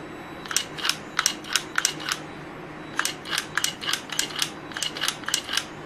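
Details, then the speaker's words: Mercedes S420 throttle body bench-tested after repair and cleaning, energized off the car: crisp snapping clicks as plate opens and shuts with slight hum, no grinding or binding: normal throttle body actuation. "cleaned up no noises nothing abnormal so I see no issues with it you give it the a bit of a humming sound"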